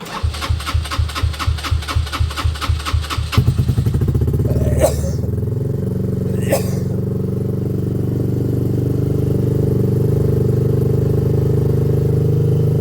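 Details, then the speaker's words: Benelli, sat five days: slow even cranking about two pulses a second for over three seconds before catching into steady idle; hard starting, owner suspects new spark plug will fix it. "that wasn't actually too bad what I was thinking with this is it wouldn't hurt to throw in a new spark plug you know"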